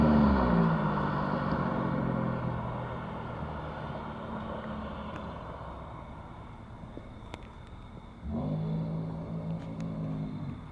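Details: 1993 Dodge Stealth with automatic transmission slipping and getting stuck in gear, awaiting swap to a rebuilt spare: engine note flares, sags, then surges again on take-off without steady pull, struggling to accelerate; transmission slipping.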